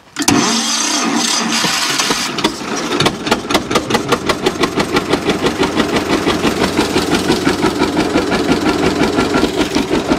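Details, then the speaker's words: John Deere G tractor running on one cylinder, suspect plug wire replaced with a temporary wire: after cranking it catches into a lumpy, uneven chuff, about three per second with gaps; one cylinder dead, plug probably wet. "so still not running right but it's been running some just on one cylinder that plug's probably really wet in there"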